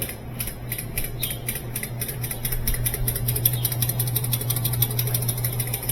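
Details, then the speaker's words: Amana top-load washer (Whirlpool platform) during suspension rod replacement: motor hums with rapid, even clicking, about three a second, switching between start and run windings, strained by a heavy load from a water-filled tub that hasn't drained. "hear that clicking. That clicking is the uh it's going back and forth between uh the start windings and the run windings because it uh got such a load on it cuz it's hasn't had time to drain out."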